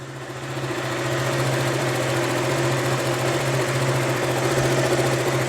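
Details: KTM Duke single after replacing the charging coil stator plate over a Low Battery fault, idling during charging tests: even putter around three and a half beats a second, steady tone, clean healthy idle.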